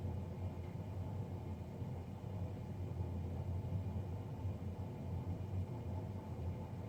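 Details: Navien NCB-240 boiler recorded Feb 3, 2020, three days after a Jan 31 service: deep steady roaring rumble with no rhythm or whine, combustion fan far louder than it should be; cause suspected, not confirmed.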